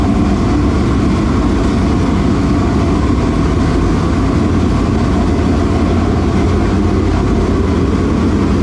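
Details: Newly installed V8 in a dirt late model race car after an adjustment down: loud, deep, steady burble with an even beat, no misses or knocks; engine healthy and strong.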